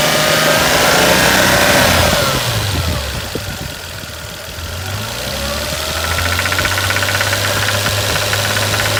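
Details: 1989 Toyota Supra MKIII 7MGE petrol engine revving and settling with a steady light knock of about three beats a second around 1800-2000 rpm; owner hears injectors, doubts they are the cause, suspects valves.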